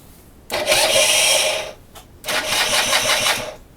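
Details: 2005 Derbi GPR 50cc: two buzzy cranking bursts of about a second each; the engine spins but never catches and goes quiet after each attempt. Cranks but won't start.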